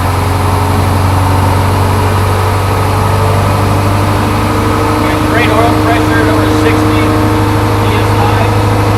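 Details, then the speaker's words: Crane truck with a Detroit 8.2 diesel, 513 hours, idling after start: steady, even low rumble with no misses, knocks or rhythm changes. No excessive blow-by; a healthy idle. "I'm going to jump in the truck in just a second and fire it up, and you'll see it starts and runs good. It doesn't have excessive blow-by."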